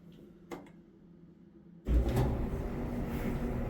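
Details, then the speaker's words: Samsung dryer after tub wheel replacement, original belt and idler pulley kept: starts and settles into a steady low tumbling rumble with no squeal, thump or scrape, no louder than before; repair successful, running normally. "no louder than it was before I think we're good"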